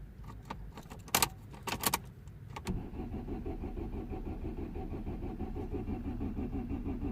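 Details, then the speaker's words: 2009 Vauxhall Astra H 1.6 petrol, code P0685: key clicks then steady uneven cranking that never catches, no fuel pump hum at key-on; crank no start from main relay circuit wiring fault. "cranks okay cranks but doesn't start okay crank no start"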